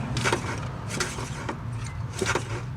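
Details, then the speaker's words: Autocross car's radiator fan after reinstallation: irregular scraping rubs about twice a second over a low rumble as the fan turns; the blades are catching. Owner suspects missing washers he forgot to refit. "It should spin freely. I think the problem is that I forgot to put these washers back on."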